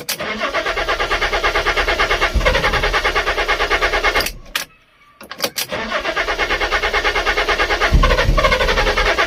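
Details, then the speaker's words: Water-damaged Fiat Stilo Abarth with crankshaft sensor fault codes, new spark plugs, ECU suspected defective: long even cranking at about three turns a second, pause, more cranking, never fires; replacement ECU needed. "Nah, it does not start. So I'm not going to start it again, because I'm probably going to flood the new spark plugs and it won't start ever again."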